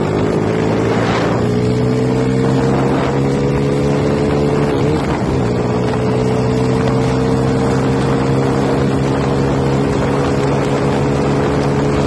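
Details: Yamaha T50 two-stroke bored to 80cc then 51mm, with carburettor and exhaust upgrades, passing by: crisp, even buzz with a smooth pitch drop and no misfire or rattle. It is running healthy.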